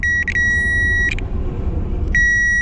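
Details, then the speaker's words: Duramax with a brand-new alternator still showing the same fault, reading 12 volts, and doing the same with the alternator unplugged; a steady high warning tone sounds twice in long bursts over a low engine rumble: charging-system warning, cause not yet found. "Okay. This is when you know it's bad, that noise."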